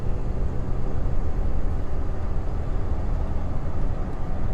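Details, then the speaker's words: 2002 Toyota Tacoma, 175,000 miles, floored from a light up to 40–60 mph on the road: deep, even engine drone pulling smoothly over road rumble, no knocks or misses; runs good with good pickup, healthy. "sixty oh cop this thing runs good it's got good pickup"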